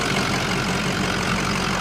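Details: 2005 Ford F250 4x4 diesel, 64,505 miles, new oil cooler, EGR cooler, oil and coolant, idling, heard under the hood: steady even idle with low rumble, no knocks, ticks or misses; engine healthy.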